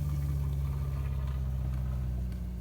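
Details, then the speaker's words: Rockwood Mini Lite 2205S RV water pump during winterizing, primed and pumping antifreeze: even, low electric hum holding steady with no rattle or surging; normal water pump running. "now we're going to go ahead and turn on the water pump and you can hear it it actually is primed"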